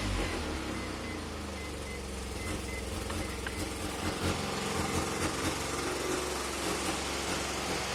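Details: Mazda RX-7 NA rotary with deliberate minor vacuum leak from an unsealed ACV block-off plate on the lower intake manifold: idle stumbles and puffs unevenly like misfiring; car would die at operating temperature.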